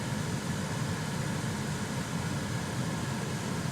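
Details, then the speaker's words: Chevrolet Silverado HVAC blower after debris was cleaned out of the blower motor and the cabin air filter changed. A steady, even rush of cold air with a soft low rumble and no hum, so it now runs normally. "Holy crap. We got lucky on this one. All it took was cleaning out the debris and changing the air filter on this thing. It is quiet as heck right now."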